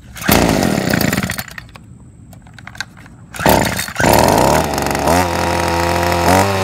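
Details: Ryobi SS30 30cc straight-shaft two-stroke trimmer/edger after fixing a primer bulb that wasn't filling with gas: a short first burst, then it catches, revs cleanly up and settles to a steady, even buzz; running normally.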